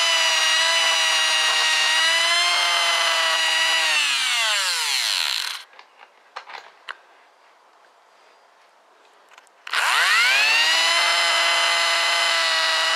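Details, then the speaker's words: Washing machine motor: a high whir winds down to silence, then restarts with a slowly rising whine to a steady pitch. It starts badly and is slow to come up to speed. "okay watch how badly this motor starts"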